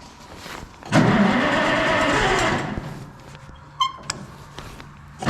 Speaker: Usually it starts easier than that. What's up with that?